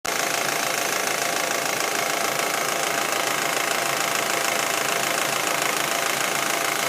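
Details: Audi A4 1.8T at warm idle: crisp, regular tick about twice a second over a steady hum, appearing once the engine gets warm; source not pinned down.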